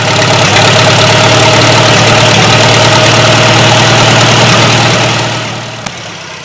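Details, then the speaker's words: 1940 Farmall H tractor just after its first start in a number of years on a temporary fuel tank: settles into a steady, even idle with a smooth low thump and no knocks or misses. It fired up easily, and the owner says it should need hardly any work. "in all i was very pleased with how easily this thing fired up shouldn't have to do hardly anything to it at all"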